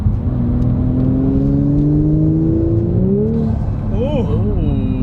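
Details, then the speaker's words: Untuned 2018 Audi B9 S4 just after replacing the turbo, which had a loose wastegate. Driving in dynamic mode, the engine note climbs smoothly through a gear change with no rattles or noises. Normal turbo engine acceleration. "sounds nice the audi guy just gave me the thumbs up oh yeah it sounds nice"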